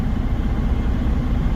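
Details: Normal idle of a big truck engine. An even, low diesel rumble with no knocks, misses or surging until it cuts off.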